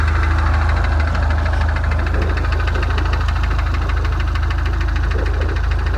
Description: 2017 turbo mustang engine knock